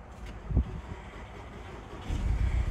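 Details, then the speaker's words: 2015 Volkswagen GTI with code P0302, severe misfire on cylinder 2 despite new coil and plug (title: no compression): lumpy, uneven idle with irregular deep thumps. "let me show you guys how bad this thing is misfiring"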